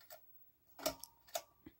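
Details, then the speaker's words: 1984 Newtone Decorator ceiling fan with Newton Henda blades, running in reverse: light uneven ticking is not worn bearings but the vent fabric rubbing against the motor, visibly coming apart. "that noise is not worn bearings it's the fabric for the vents rubbing against the motor you can see where where it's kind of coming apart there"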